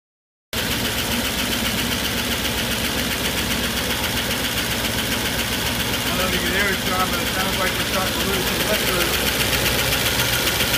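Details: 1993 Range Rover Classic LWB V8, all-original engine with 210,000 miles, restarted after about a year in storage, idles with a loud, fast, sharp ticking: severe hydraulic lifter tick.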